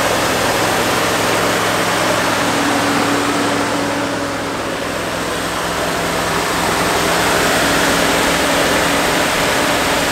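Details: 1969 Fargo 500 dump truck, long-stored V8 running on gas poured into the two-barrel carb: loud steady rumble for the whole clip, caught and running on its own; smoking pretty badly, slight exhaust manifold oil leak.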